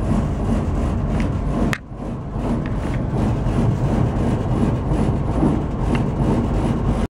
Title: 04022012 Furnace Loud Noise.MOV